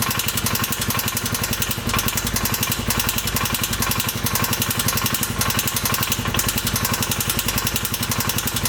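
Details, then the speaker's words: 2015 Polaris Ranger 570 4x4 UTV idling roughly with steady tapping knock about two per second, screeching when revved; valve clearances adjusted but knock remains, suspected tight crank or rod bearing, unconfirmed. "I was hoping we would get lucky and it would just be a simple valve clearance problem, but unfortunately it's got a bad knock and it's kind of like screeching. It's kind of telling me that a bearing is probably tight."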